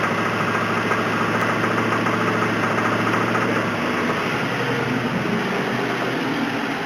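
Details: 1999 Mustang GT 2-valve 4.6 V8 run low on oil, idling roughly: a dull, uneven knock about two per second under the exhaust note; rod knock after oil starvation.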